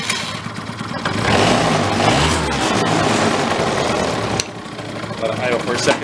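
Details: 2004 Yamaha Vino 50cc scooter, a barn find that sat for years: the small two-stroke buzzes into life, rises briefly, then settles into an uneven but running idle; it starts and runs, but the air-fuel mix still needs adjusting.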